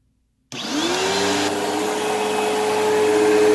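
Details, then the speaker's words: Used Eureka Whirlwind True HEPA (4383) vacuum on high setting: steady motor roar with a thin whine rising as it spins up; brush roll bearings sound worn, probably needs a new brush roll, motor sounds fine, wind-down believed from brush roll. "Well, that brush roll does not, the bearings on that brush roll do not sound the best. Probably needs a new brush roll."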